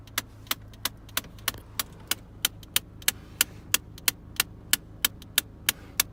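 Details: 2001 Mitsubishi Galant 2.0, climate control: sharp, even ticking about 1.5 per second over a quiet background, started suddenly on the highway; cause was a broken heater/cooling flap actuator.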